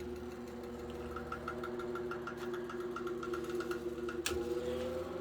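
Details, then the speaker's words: Late-1930s–1940 Chicago Electric Handybreeze 12" table fan, model 314, two-speed with oscillation, on low speed drawing about 0.4 A: steady motor hum with soft uneven ticking knock about three per second, labouring while oscillating; gearbox suspected to need work. "that's what that knocking sound is seems like it labors a little bit looks like I probably need to do some work to the gearbox"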